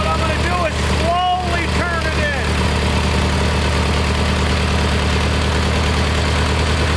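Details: Kohler Magnum 20 after a carburetor rebuild, mixture being tuned at operating temperature. Deep, steady single-cylinder thump at an even idle with no stumbling or hunting; mixture sounds settled. Normal idle.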